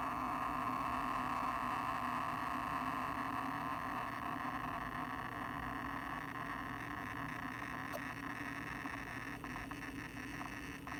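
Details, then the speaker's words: New Seagate Expansion 12TB external drive (Seagate Exos X16 inside, made 2020/08) humming with faint irregular seek ticks, noise only during read/write, loudest during a quick scan error test, mic held close. "读写的时候会有声音，但是如果没有读写的时候不会。然后最好玩的是，如果我是 run error check speed test 的时候啊，那个声音超级明显。"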